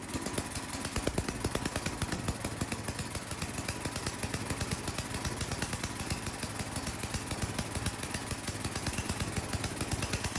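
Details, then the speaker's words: Ariens snowblower sat years in barn, after fitting a temporary fuel line: small single-cylinder engine fast even firing, steady clatter, no surging or misses; runs like a champ, normal. "Well, it runs like a champ. That's awesome."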